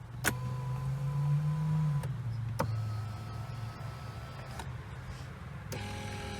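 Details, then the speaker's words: Driver's power seat on a flood-damaged 2023 Hyundai Palisade, after drying out and repairs: a steady electric motor hum that starts, stops and reverses cleanly with even pitch as the seat moves front and back; normal power seat motor operation. "This extension works just fine. Seat moves front and back."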